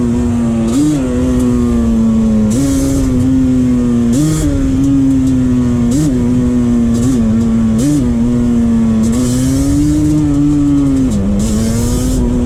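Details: 2001 Yamaha Banshee 350 two-stroke on a POV test ride after new clamps fixed an exhaust leak, shifting early: buzzy wail climbs with throttle, dips sharply at each upshift, clean with no puffing. Running strong.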